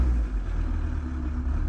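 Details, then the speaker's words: VW T4 diesel van, 70,000 miles, just fitted with PP0.5 upgrade injectors, injector quantity reading 2.8–3 mg per stroke: on return to idle from revs the beat wavers unevenly; idle flutter, quantity to be raised in software. "there's a bit of a flutter so what we're going to do now we're going to adjust the value in software"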